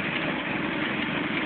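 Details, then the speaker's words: 2008 Arctic Cat Thundercat 1000 V-twin ATV, used, after new starter install, battery about 12-13 V: starts right up for the first time in 3 months and idles with a steady, even note, no misses, knocks or starter grind. "right up. That's the first time in 3 months that it's done that."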